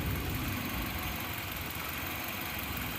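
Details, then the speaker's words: 2008 Kia Spectra after tightening the power steering belt and the alternator belt tensioner: quiet, even idle while the wheel is turned lock to lock, no squeal or chirp; power steering now works. Fixed squeaking belt. "okay problem solved so tightening the power steering and tightening the tensioner on the alternator belt did the trick and now we've got a power steering work"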